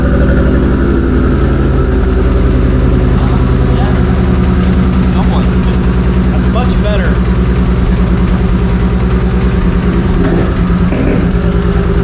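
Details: 2JZ inline-six swapped into a Z28: rough lumpy idle with uneven popping and sputtering, stumbling beat, running on only about three cylinders, masked earlier by smooth inline-six and high 3,000 rpm startup idle; cause not yet found.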